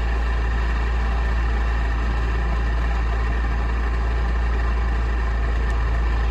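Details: VAZ-2108/2109 clutch release bearing check: steady idle under a heavy low drone with constant hum and faint whine on top, the noise of a worn clutch release bearing.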